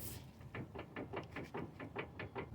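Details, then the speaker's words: Toyota RAV4 with electric power steering, front wheel rocked by hand: sharp regular clunks about four a second as the inner and outer tie rods move too much, with some cracking visible; worn tie rod, rack and pinion replaced. "uh tie rod our and inner is moving too much right there and also some kind of cracks"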